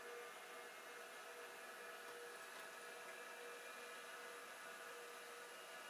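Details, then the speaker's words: Second hard drive (TM602S/TM603S pair), running after a tap freed stiction; red light off: steady, even whir with faint high whine, no scraping or clicking; normal spin. "The red light is not on. But the drive is spinning. Which is a good sign, I think."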